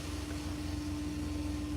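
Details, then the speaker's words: 1986 Silverado 4.3 V6, 71,000 miles, with a new radiator, thermostat and EGR valve and rebuilt TBI injectors; owner suspects a dead plug; about 50 psi oil pressure. A steady high hum over an even idle rumble. Loud fuel pump. "So, the oil pressure is uh that damn fuel pump loud, boy."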